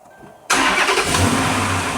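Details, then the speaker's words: Dodge Charger R/T after replacing both fuel pumps (suspected drain-back valve issue): engine catches instantly and settles into a strong, even idle with no extended cranking, normal start. "Let's see if it starts right up. Right up. Perfect."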